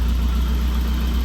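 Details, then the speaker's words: 1988 Saab 900 Turbo with freshly rebuilt engine, first run in about 3 weeks: smooth, steady low idle with even firing and no audible knock; the lifter tick has quieted down from running more, idling normally. "It's idling perfect. The lifter tick has obviously quieted down just from it running a bit more. You can hear how quiet it is now."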